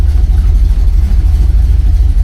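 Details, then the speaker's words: 1970 Oldsmobile Cutlass, Rocket 350 V8, warming up at about 52 °F, good oil pressure: a deep, steady burble at idle with even pulses, no rattles and no belt squeal, strong and healthy. "Motor sounds strong. I don't hear any belt squealing or any other rattling or anything."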